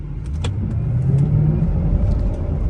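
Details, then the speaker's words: Mercedes SL500 after the Silver's Neomax coilover conversion: a deep droning moan only under hard takeoff, felt in the floor and heels. The driver suspects the drive shaft or exhaust; rear rubbing was checked. Unconfirmed. "It's like a deep moan when you take off hard."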